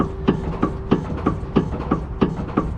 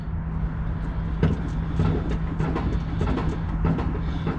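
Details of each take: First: Dodge ProMaster van clunk over bumps, reproduced by rocking the van: sharp metallic knocks about three a second from play in the sway bar end link's worn orbital joint; quiets when the link is gripped; link to be replaced. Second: Dodge ProMaster van on the ground, rocked by an assistant to simulate bumps after the sway bar link was replaced: only light irregular ladder-rack rattles over a low hum, no heavy clunk, and no play left in the link.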